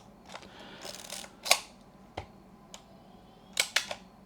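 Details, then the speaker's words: Yashica Electro 35 GSN rangefinder (1973 electronics) during restoration, pointed away from light so the auto-exposure gives a slow shutter: soft open and close clicks with a short gap, crisp and clean; a healthy slow exposure. "And then if I tilt it so there is no as much light coming through, we get the slow reaction."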